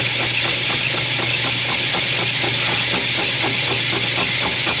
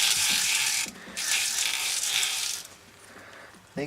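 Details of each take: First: Lathe machining a steam engine cylinder with a high-speed steel tool, reground to a radius and run at a slower speed. Steady machine hum under an even hiss with light regular ticks, no chatter or squeal; cutting cleanly. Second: Boring a steam engine cylinder with a high-speed steel boring bar ground to a radius, run slow with long stick-out: harsh hissing scraping in bursts each pass as the dull bit rubs and rounds instead of cutting; carbide bit later worked.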